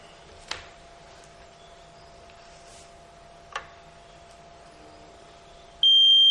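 Quiet room, a couple of soft clicks, then a steady high-pitched beep as the unit completes its power-on self-check.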